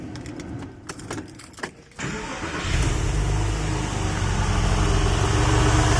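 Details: Porsche 996, first cold start after engine reinstall with IMS bearing done and cooling system pressure tested: brief quiet cranking, instant catch, steady even idle with no stumble and no smoke; normal cold start.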